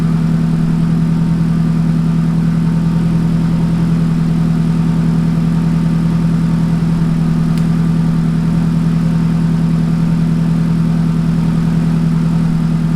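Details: Donor Nissan 180SX engine, checked after an accident, first start on a new fuel-pump setup after priming: smooth, even idle with a constant low hum and no misses, knocks or hunting. The engine sounds healthy.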